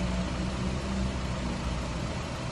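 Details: 2011 Nissan Rogue after a cylinder head job: low, steady four-cylinder idle with an occasional faint stumble; intermittent misfire found with a PicoScope to be a burnt, faulty coil wire set.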